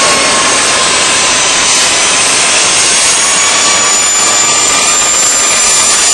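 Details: DIY gas jet turbine go-kart built around a turbocharger, diesel-fuelled afterburner, idle about 22000 rpm: steady high rushing roar with constant whine, continuous with no piston throb; normal smooth running.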